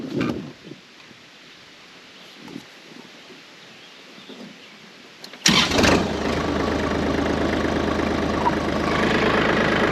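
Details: Kubota L2502 tractor, under 2 hours use, no-start fixed via PTO safety switch/seat switch: diesel catches abruptly and settles into steady even idle clatter, no misses or surging. Normal idle.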